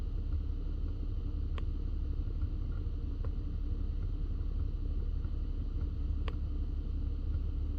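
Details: 2013 Audi S5 B8.5 Prestige with B&O system: low steady cabin rumble with a few sharp, isolated clicks from the dash, occurring randomly at various temperatures, alongside the left tweeter/mid-range cutting in and out.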